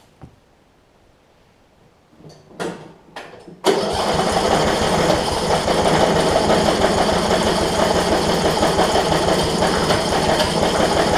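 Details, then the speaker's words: Yard Machines riding mower with spliced wiring: a few clicks, then steady cranking churn that never runs; spark plug found with zero gap, causing the no-start. "then it's something that's very uh minut it sounds like and it sounds like a fuel issue too so so yeah the gap on this plug is none so that will do it"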